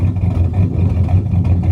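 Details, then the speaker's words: 2001 Chevrolet Silverado 5.3 V8 4WD that keeps charging at 16 volts even with a replacement alternator; lumpy, uneven low rumble with irregular stumbles instead of a smooth beat, normally sounds cammy; misfire, cause unknown. "sounds like it's got a cam in it most time but now it's just doing this crap"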